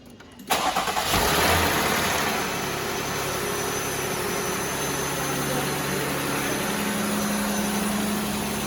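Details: 2018 Jeep 3.6L V6 Pentastar first start after camshaft replacement for abnormal cam lobe wear, run briefly with no coolant. Quick crank catches cleanly, brief rev flare, then an even, quiet idle with no valvetrain ticking; healthy after repair.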